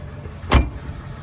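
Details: Door closing on a Ford Crown Victoria with 40-year-old paint, after the interior and door panels were cleaned. One clean, solid thunk with no rattle or tinny ring afterward. Normal door shut.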